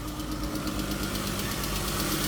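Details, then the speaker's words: Jeep Grand Cherokee (about 2017), 3.6 Pentastar DOHC V6: steady idle with fast, light ticking on top. Valvetrain tick, likely a cam or lifter; the cam may be saved. "Because the dummy mechanic sat out here and let it idle with no oil. Uh-oh, I hear it. I can hear the ticker."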